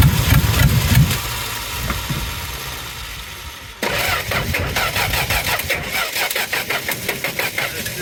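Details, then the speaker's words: 1963 Plymouth Valiant slant six project, timing backed way off: after a stumble fires into an uneven lumpy idle with irregular pulses and missed beats, billowing fuel smoke; rich misfire. "It sounds horrible. It's billowing fuel smoke. That's what it's always done with every single fuel system."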